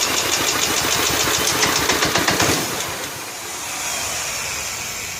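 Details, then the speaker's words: 1995 John Deere STX38 single-cylinder, a different spark plug fitted, just over medium throttle with starting fluid: catches, pops unevenly and raggedly for two seconds, then dies, snapping and backfiring; owner suspects tight intake and exhaust valves. "Tried to run, didn't sound very good though. Didn't sound good."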